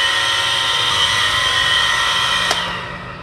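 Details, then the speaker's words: Household water pump running gives a loud high-pitched whirring with a harsh metallic edge over its hum, typical of a worn bearing; bearing and seal to be replaced. "Yan, nakakaya ang ingay niya, no? Nagpapaandar ka lang ng water pump, pero nakaka-istorbo ka na sa kapitbahay mo."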